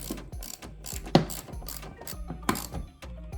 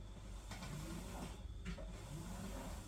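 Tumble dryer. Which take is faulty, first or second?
first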